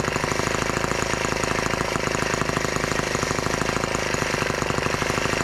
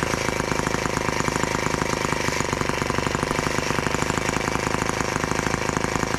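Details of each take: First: Brand-new TR1 tractor small single-cylinder petrol engine at its first start, warming up with the throttle locked: a fast, even, crisp idle. Normal idle for a fresh engine; the carburetor may need adjusting. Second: Brand-new TR1 tractor on its first start, running on 40:1 fuel mix: small two-stroke buzz with a fast, slightly irregular beat that wavers; uneven running, and the owner thinks the carburettor may need adjusting.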